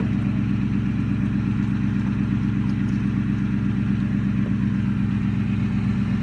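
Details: 2003 Ford Mustang GT V8 after small adjustments, missing bolts and nuts added, ground wire repaired: deep even rumble at idle, no misfire, tick or knock; runs great.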